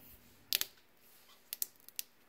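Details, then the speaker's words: Old ACME hand saw filer: irregular sharp crackles and snaps in short bursts inside its old, beat-up electrical switch housing (3-wire cord with ground connected to nothing); arcing, whole housing to be replaced. "is all the electrical cracking with inside of that housing. So it's pretty old, it's pretty beat up. I'm just gonna replace the whole thing."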